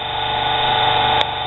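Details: Lathe at full speed after burned-brush motor repair and new Gates belt: steady high motor whine with smooth belt hum, no knocking or slipping; normal running.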